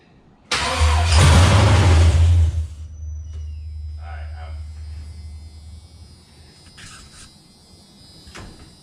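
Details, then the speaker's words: Chevrolet C10 truck with an LS V8 swap, on its first start attempt after priming the fuel pump several times. About two seconds of even starter cranking, then it stops without catching. Crank-no-start: it turns over and gets spark. "But at least I know at least it's turning over and we're getting fire."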